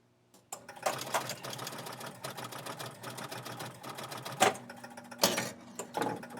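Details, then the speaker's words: Electro-mechanical pinball machine after repair of the buzzing/continuous-scoring fault: steady clatter of relays, score reels and a ball-kicker thunk, the loud buzz gone, any faint hum from a normal coil; working normally. "okay see a ball kicked out there is that hum is gone if you hear a hum that's from another normal coil not not that big obnoxious"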